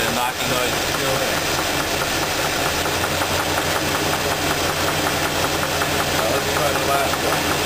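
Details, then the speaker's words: Engine idling with a deep repeating knock, clearest at idle; isolated to cylinder two by pulling spark plug wires and checking valve lifters; teardown found a spun rod bearing and rough crankshaft. "now that we determined that the knocking noise is coming on number two cylinder"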